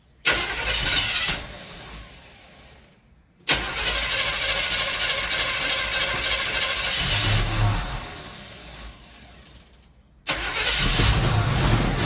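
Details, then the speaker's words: 1977 Chevy C10 350 Quadrajet 4-barrel, cold start with no choke hooked up and the original carb and base gasket: catches, stumbles and dies twice, then runs on all cylinders roughly with pops through the carb; cause unclear. "well she ain't got no choke hooked up nothing then that's cold so but it sounds like it's running on all of them but it's still popping a little through the carburetor"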